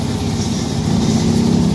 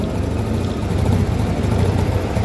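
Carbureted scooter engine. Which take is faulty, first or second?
second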